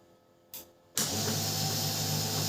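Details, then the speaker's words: Canon LBP 6030 laser printer after gear repair, at power-on: click then steady, even motor whir with smooth gear noise and no grinding; earlier gear noise problem solved. "ये देखिए बहुत बढ़िया। यहां पर sound भी आ रहा है। सब कुछ यहां पर अच्छी तरह से यहां पर मूवमेंट हो रहा है।"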